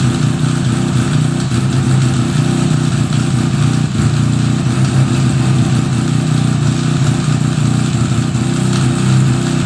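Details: 1975 Suzuki RE5 rotary, freshly fully restored, at a steady idle with a low uneven rumble and a churning mechanical note underneath; abnormal transmission noise, cause unknown, engine to be removed to inspect the transmission internals.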